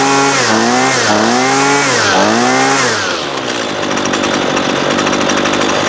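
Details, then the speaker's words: Husqvarna 128LD 28cc trimmer, apparently 2019, warmed up and under load, that won't idle: during low-side (left screw) carb adjustment the revs sag and recover three times, then drop to a rough low idle; hesitation on acceleration. "turn it back to the right clockwise just a little so i gave it a little bit of hesitation so we'll back it off"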